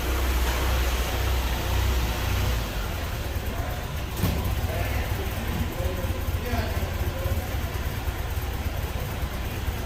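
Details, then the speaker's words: 2009–2013 Ford Fusion/Milan/Escape/Explorer/Mariner-family engine after removing and cleaning the throttle body mounting surface: even low idle rumble, now steady with no surging, where before it bounced between 750 and 1000 rpm and shook, with no code set. "as you can hear the idle stabilize now stop bouncing around and jerking around it was before though you could see the engine jerking back and forth and it was sounded awful"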